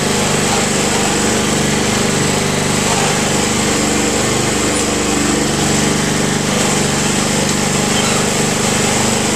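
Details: Honda Harmony II HRR216 Quattro Cut mower (title says 5.5 hp), blades removed after a strike made the blade wobble; steady even single-cylinder drone with no misses, surging or knocks at constant speed: normal running.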